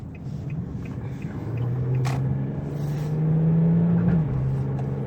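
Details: Infiniti G35 after replacing driver-side wheel bearing for humming/roaring noise: smooth low rumble easing as the car coasts off the gas, no growl or roar rising with speed; bearings now quiet.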